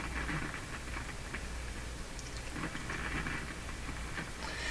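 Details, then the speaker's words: Philco 48-1826 console radio on the shortwave band, with the antenna switched off: irregular crackling and popping over hiss. The cause could be a resistor, tube, capacitor, poor connection, band switch or volume control; unconfirmed. "so that that sound can easily be a resistor that can come from a tube probably from a capacitor probably from a poor connection"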